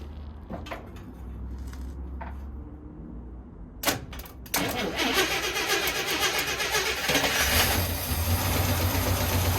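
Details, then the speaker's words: 1972 International 1210 pickup, sat for years after it overheated, fuel being fed in, fresh oil; first start cranks briefly, catches and settles into an even, steady idle with no knocks or misses; normal start and idle. "Woo. Awesome, sounds good, but look at that, pumping fuel like nobody's business. Dude, she sounds good."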